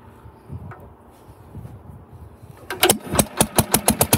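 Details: 1947 Pond lever-steer tractor, after removing a mouse nest caught on the outer flywheel and pressure plate that threw it out of balance and caused severe vibration in every gear and neutral: starts, then runs at an even, steady beat with no shaking; running normally.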